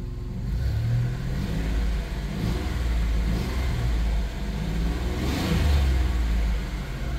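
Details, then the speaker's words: 1990 Dodge Grand Caravan LE after reassembly and exhaust work, first start: smooth deep note, steady rumble, even rise and fall on revs, no knocks; a slight exhaust leak heard up top, possibly an unseated donut gasket. "say that sounds pretty good let's get under here and feel for leaks"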